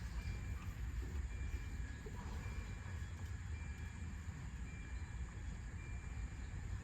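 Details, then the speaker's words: 1992 Volvo 940 wagon, long sat in woods, hotwired: starter cranks the engine at an even pace but it never fires; injector pulse seems present, but no fuel is reaching it. "Well, that's promising. At least it cranks. Sounds like we got injector pulse too, so it might start if we can get fuel to it."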